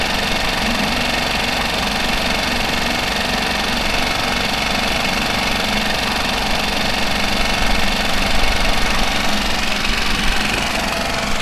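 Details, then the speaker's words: Mercury 5 hp four-stroke outboard holding a steady idle with fast even chatter after a fuel pump replacement meant to cure loud ticking after submersion; the decibel meter showed slightly less noise. Normal idle. "all right so i think that job is done as you can see it looked like it did drop it down some decibels"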